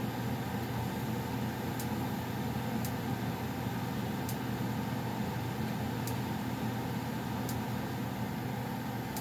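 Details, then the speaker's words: Goodman gas furnace around shutdown (owner notes popping as it shuts off): even low blower hum with steady burner rush and a few faint ticks; running normally. "all right here's go I'm sure you guys heard the popping of their thing as it was shutting off"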